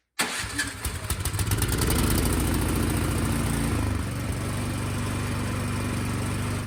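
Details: Craftsman snowblower after replacing a fouled spark plug (new plug gave spark, so the coil is good): a quick pull catches at once and settles into a steady, even single-cylinder idle with no misses; it now starts and runs properly.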